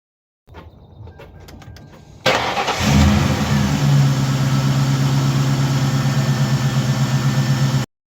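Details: 1999 Ford Crown Victoria 4.6 2V V8 after replacing the idler pulley, belt tensioner and serpentine belt: a few light clicks, then it cranks, catches and settles into a smooth, even idle with no squeal.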